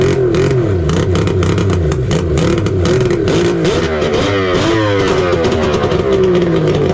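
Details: 1999 Kawasaki 900 STX jet ski two-stroke after piston replacement following lock-up, first start without water hooked up: loud continuous buzz, revs rising and falling, no knocking or seizing clatter; sounds healthy.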